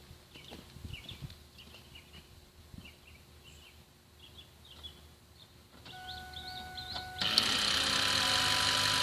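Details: 2007 Ford F-250 Super Duty 6.0 PowerStroke diesel that lost power at 70 mph, stalled and now won't crank: starter whirs up to a loud, steady free spin with no engine turning over; broken flywheel, not connected to the crankshaft.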